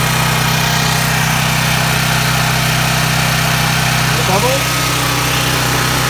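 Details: Duramax 12K generator on propane from a 100 lb tank, after the bad regulator was replaced and connections resealed with gas line tape: loud, steady hum at constant speed with no surging or hunting. Runs smoothly.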